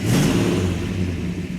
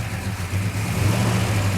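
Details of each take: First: 1967 Plymouth GTX 426 Hemi four-speed convertible fired up for its first road test, with a deep, steady V8 rumble settling evenly after start-up and no misses or knocks; the engine sounds healthy. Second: Freshly restored 1967 Hemi GTX convertible, first start outside, air cleaner off, oil pressure good; lumpy V8 idle with light fast metallic rattle over the exhaust beat, attributed to the rockers; carburetor mixture being adjusted.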